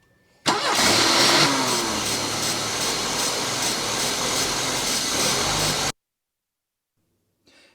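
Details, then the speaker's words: Mercedes 190E, after the new fuel pump stopped working, cranks on sprayed starter fluid, catches and runs rough and uneven for about five seconds before cutting out; engine starts on starter fluid only, failed fuel pump. "$29 fuel pump stopped working. So we decided to go back and spray starter fluid again."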